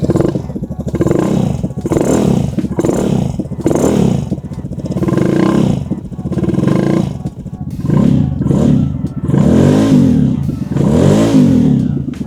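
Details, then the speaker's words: Vespa Primavera with Malossi big bore kit and newly fitted high-flow cold air intake, running: hollow gurgling intake note swelling and fading about every 1.5 s; owner unsure if metal tube knocks or just louder intake. "I'm curious if that hollow sound is that metal tube knocking into it, or if it's just we can hear the intake so much more it kind of gurgles it."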